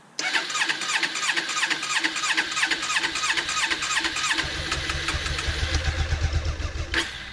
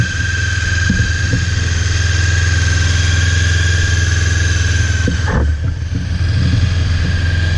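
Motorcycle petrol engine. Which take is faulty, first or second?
first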